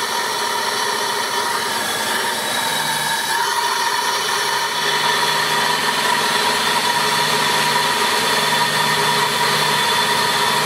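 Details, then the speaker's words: 1995 Oldsmobile 88 3.8L 3800 at first start after upper intake manifold replacement for coolant leak, warming up: steady even idle with constant intake-side hiss from the IAC, no knocks or misses; running smoothly. "well it's not running away so the IAC is what make that noise"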